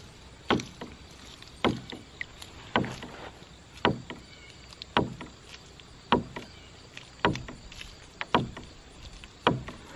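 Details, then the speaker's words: Ram pump running underwater in a small pond with delivery fully closed: sharp woody knocks about once a second, slightly uneven; the drive pipe popping against the pond side as it cycles, not the valve. "that's not the sound of the valve that's the sound of the drive pipe popping against the side of this little pond you can still hear the noise the drive pipe makes as it cycles"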